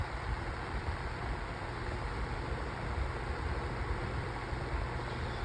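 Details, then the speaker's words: 8-inch Sunbeam table fan running loudly on high with a rough, fluttering low rattle because it is out of balance. "it's out of balance. Yeah, it's out of balance. You can hear it rattling."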